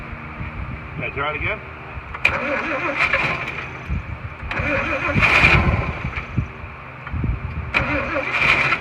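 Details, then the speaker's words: 1941 Chevy, start attempts with fuel poured in and the choke held: it catches for a second or two then dies each time, firing only on poured-in fuel, starved. "yeah i'm holding oil choke and it's just sucking you know we're not putting fuel in here anymore"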